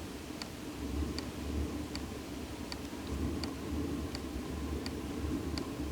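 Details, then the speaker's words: Diesel air heater first start in a studio after warm-up phase: low steady fan rumble, then a light even fuel-pump tick a bit faster than once a second as it attempts ignition; normal start-up, fuel line still bleeding air. "fuel pump hasn't started clicking yet but I imagine that'll happen shortly so we'll just sit here and wait for this to oh I hear something she's attempting to"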